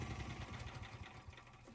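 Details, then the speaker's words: 4000 psi petrol pressure washer with a triple ceramic plunger pump, water on, leaking heavily between pump and manifold. Lumpy, uneven low chugging instead of a smooth beat. The owner suspects a bad piston, so the pump runs on two cylinders. "pretty sure one of those Pistons inside the pump is bad a fair bit of power only on running on two cylinders I reckon"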